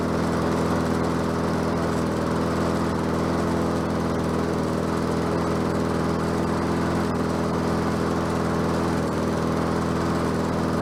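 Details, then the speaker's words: Bolens 22-inch self-propelled mower with a Quantum engine, on the ground after repair work: steady, even drone with no surging, sputter or misses; self-propel works and it runs smoothly and sounds healthy. "think it sounds good what do you think I think I needs need to run it a little bit more"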